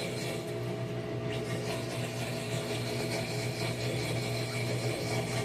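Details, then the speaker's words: Whirlpool WTW4816FW3 top-load washer bought in 2023, which turns itself on and whose circuit board was replaced three times: loud rough grinding with uneven chatter and a low hum, with no water and no drum movement. Cause unclear. Grinding noise. "There's no water, no movement, just really loud grinding."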